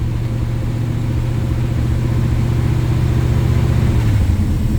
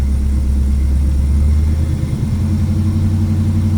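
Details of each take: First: 1968 Chevy Camaro SS V8 after new spark plugs, still cold: idles low and fairly steady with slight unevenness and an rpm dip; exhaust pops gone, mild stumble remains, owner suspects low fuel, cause unconfirmed. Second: 1968 Chevy Camaro SS V8 after new spark plugs, not yet warm: deep steady idle with an even lumpy beat and no misfire stumbles or exhaust pops; idle that previously sounded terrible now sounds good, slight stumble still felt.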